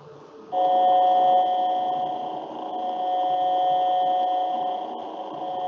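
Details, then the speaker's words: Motor at 1800 rpm (30 Hz): steady hum with loudness swelling and fading about once per second, not tied to shaft speed; beating amplitude modulation. "so from from a sound perspective you're going to receive it like a modulation or a variation in volume or amplitude if like let's listen an example"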